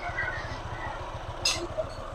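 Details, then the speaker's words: Honda ADV 160 scooter idling just after an anti-dragging combo was fitted: soft, even putter with no harsh rattle, with less vibration and noise than before. "Mukha kasi yun, hindi na siya masyado ang mabibrate, saka maingay."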